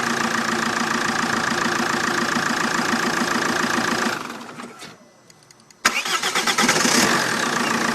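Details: Vauxhall Vectra 1.9 CDTi after a new starter motor fixed hard/no starting: even diesel idle, switched off, brief crank catches instantly and settles to a smooth idle; normal idle and restart.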